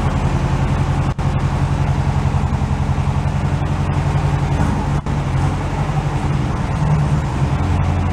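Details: Carbureted air-cooled flat-four VW bus stored in a shipping container, cold start. An even, steady low chugging idle with no misses or knocks. Normal idle.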